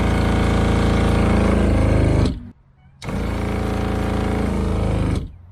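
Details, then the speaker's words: RV fresh-water pump with no tap open: steady buzzing runs about two seconds, stops briefly, then restarts; pump keeps priming and cycling on its own, cause not yet found. "so we've got an issue with our water pump um Tommy can't hear it as well as I can but it keeps priming itself and so I need to figure out what is going on"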